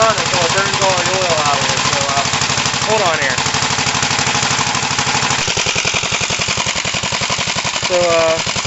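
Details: 1968 Gravely C8 single-cylinder after machine-shop cylinder work, oiled rings, and magneto points cleaned and adjusted to fix no spark, test run: even steady thumping, no misses or stumbles; normal running.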